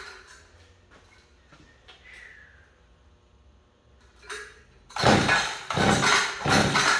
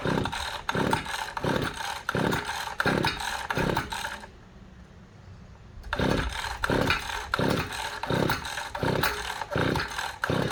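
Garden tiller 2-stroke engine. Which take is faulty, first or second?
second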